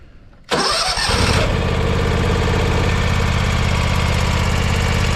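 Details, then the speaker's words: John Deere X570 garden tractor during a service, started after fuel line and filter refill: steady idle with a light, fast valve tick on one side only, suggesting a valve adjustment is needed soon. "generally I hear that ticking it's a little valve tick it's only on this side which means we need to believe we're gonna have to do a valve adjustment here before long"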